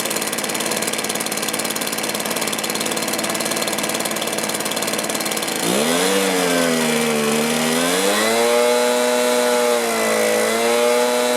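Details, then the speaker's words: Stihl BR450 backpack blower, two-stroke, after carburetor replacement, fuel tank vent fix, coil air gap and high/low mixture adjustment: idles evenly and revs up and down cleanly with pitch following throttle; running properly. "bit there Sweet Spot still running good"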